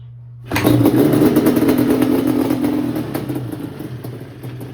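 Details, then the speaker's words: 1989 Yamaha Banshee two-stroke twin barn find, previously no spark; replacing the CDI box restored spark. Kick start: fires straight up and settles into a rough, uneven idle. Normal start with ignition working again. "Now it has spark, and surprisingly it fired up when I kicked it."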